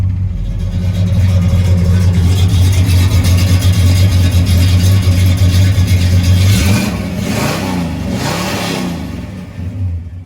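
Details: 1966 Pontiac GTO, rebuilt 389 V8 bored .030 over, 650cfm Brawler four-barrel carb, 4-speed manual, 60 psi oil pressure, just started and warming, heard from engine compartment: deep, even burble climbing smoothly when revved, no misses or knocks; healthy.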